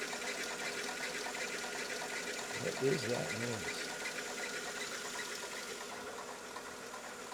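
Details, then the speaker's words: 2000 Mercedes E320 startup: fast, uneven ticking with a steady high whine over the engine right after starting, seeming to fade; source not yet clear. "an initial noise. The noise seems to be going away."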